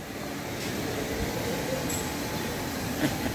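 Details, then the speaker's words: Renault Master minibus, wheel spun on a lift: steady, rough metallic scraping rumble, like an ox cart. Rear brake pads worn through to metal and rubbing the disc. "Yani arabanın balatası bitmiş diske sürtüyor"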